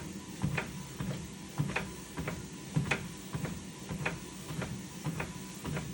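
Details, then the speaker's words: Lifespan Fitness TR1200B treadmill running: a sharp clap about once a second, unevenly spaced over the belt hum; the deck is knocking, cause unknown. "coming up closer to the top not to the top but you know like around here you can hear it clap clap attack clap clap"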